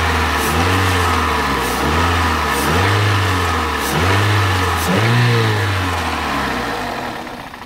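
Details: Toyota 1ZZ-FE engine during solvent decoking, restarted at idle with light throttle after solvent was poured into the cylinders. Revs surge and sag about every second, dipping near stalling and recovering; it is stumbling on the solvent.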